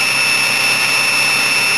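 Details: Ford 6.0 PowerStroke diesel cold start after sitting through winter: loud steady high-pitched whine over smooth even run; normal cold-start high idle.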